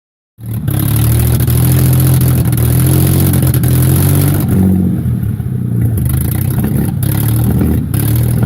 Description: 116k miles engine from w210 e240 V6 with misfire